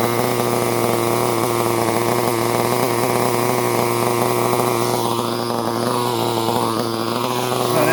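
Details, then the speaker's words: Restored Tamiya TR15 small engine running on propane, first start in 20 years: high-pitched buzzing holds a steady, even note with small throttle swells and no misfires; runs cleanly, normal running. "Right here we have the TR15. Got it started after 20 years, which was amazing."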